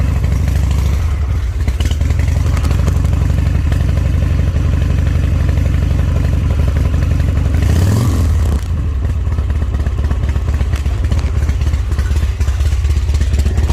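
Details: Owner-built Harley V-twin. Loud, lumpy idle beat at about four pulses a second with a short throttle blip; runs steady, and the owner sees nothing wrong with it. Normal running.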